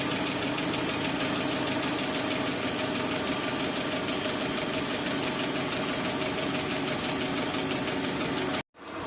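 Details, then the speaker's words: Engine idling after an additive was poured into the oil, following a flush that did not help; a light fast lifter tick about three per second, much quieter than before and almost gone by the end. "ну короче итоги эксперимента так называемого эксперимента промывка двигателя ни к чему не привела как они тарабанили так никто не ляйтера банят залил присадку мы услышали стук конечно гораздо меньше под конец уже почти исчезал"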